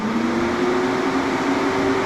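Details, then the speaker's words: Plymouth Mopar A-body with a 360 Magnum, ready to run but awaiting a replacement for its leaking radiator: radiator fans switched on give an even whirring hum that rises slightly as they spin up. They run smoothly without rubbing. "We can at least turn the fans on for fun."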